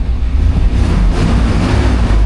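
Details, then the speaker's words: Suburban after jump-starting, no service engine soon codes: deep engine roar climbs and holds strong without stumble or misfire; revs up higher, running cleanly. "Oh, it revs up higher."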